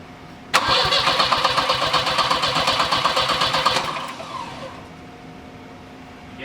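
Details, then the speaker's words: Volvo 740 turbo, under wiring-harness fault diagnosis for blowing fuses: cranks steadily about four turns a second, briefly catches, then dies when throttled. It has spark; fuel delivery is suspected, possibly the main fuel pump. "that's ah just kills it as soon as you try and throttle up but that means we know it's got spark and we'll run as soon as we can consistently get fuel to it"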